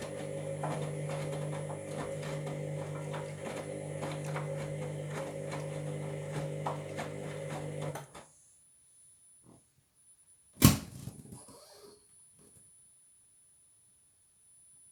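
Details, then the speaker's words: Washing machine drum turning, apparently anticlockwise, during spin: steady motor hum with a faint uneven rhythmic pulsing, then it stops. The owner hears a grinding sound that shouldn't be happening and wonders if it's the ring; cause unconfirmed. "I don't know if you um making a bit of a grand sound which that shouldn't be happening"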